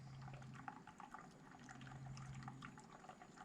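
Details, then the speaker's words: Ram 2500 6.4L engine after upgrades including Hellcat oil pump, vacuum coolant fill before first startup, supply line partly open for slow fill: steady hiss with irregular bubbling and gurgling as coolant draws in and vacuum decreases; normal fill. "I don't know if you can hear that but you can kind of hear it gurgling as it uh fills up the system and you'll see that vacuum you know start to decrease"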